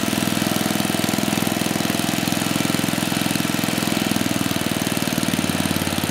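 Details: 34-year-old Tecumseh H30-35387Y single on a Troy-Bilt Tuffy tiller, with a new clone carburetor after a no-compression repair; chugs at a steady fast beat, firing evenly without misses or knocking; runs healthy.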